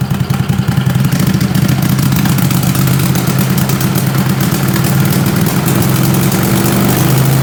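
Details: 20 HP Tecumseh twin with dual 34mm PVK carbs after needle clip moved to raise the needle: deep, lumpy, rough beat as throttle eases from zero to half over 4–5 s. Slow pull sounded awful; owner suspects too rich, and the AFR gauge reads rich but is doubted.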